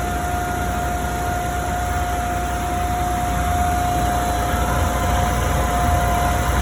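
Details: Forklift engine, exhaust leak repair context: even steady run with constant mid-pitched tone over smooth rumble, no ticking or puffing; running normally.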